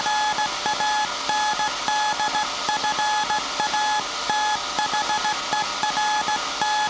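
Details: SAQ Grimeton 1924 Alexanderson alternator VLF transmitter on 17.2 kHz CW, December 1st 2024 centennial transmission, punch tape transmitter soon to stop and hand over to hand keying: clean steady tone near 850 Hz, regular Morse rhythm, no warble; normal CW keying.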